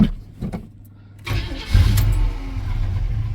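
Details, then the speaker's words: 1979 GMC C15 pickup, cold start with about 2.5 gallons of gas in the driver's side tank. Quick cranking, then it fires right up and settles into a steady, even low rumble with no valve-train clatter. Healthy cold start. "Holy crap, would you look at that? I mean, I know I put gas down the car, but this thing fired right up."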